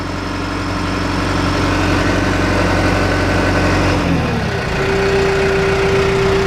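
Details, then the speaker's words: John Deere 310G backhoe diesel with a suspected failing injection pump (keeps losing fuel prime after sitting), warm at about 78°F, idle back to minimum 900 RPM; steady, even idle with no misses, runs fine; normal idle. "Idle back to minimum speed. It does just fine. 900 RPM."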